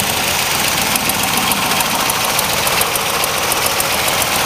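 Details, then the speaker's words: Z28 302 small block with steel crank and solid lifters, 40,000 miles, at idle: smooth, steady idle with a light, even valve-train tick; running healthy. "running smooth and sweet"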